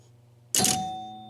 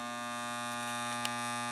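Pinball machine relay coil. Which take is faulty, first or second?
second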